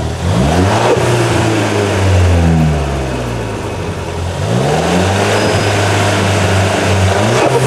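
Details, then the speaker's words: Ford Fiesta ST after hard driving and datalogging, heard from outside the car: a whirring tone that sweeps down as revs fall on deceleration. Source unclear; owner fears he over-spun or damaged the turbo. "i hope i didn't break the turbo or something i hope i didn't over spin it that would really suck"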